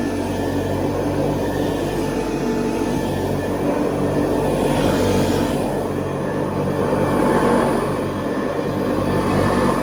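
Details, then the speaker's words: 1970s Hoover Convertible upright vacuum on carpet, re-greased: steady motor drone with rough, slightly uneven rumble from the brush roll, which gets a little out of balance; belt not overheating, spins freely; mild brush noise. "Little bit of brush noise on it nowadays. I re-greased everything, but the roller seems to get a little bit out of balance, but it's still not really that bad at all."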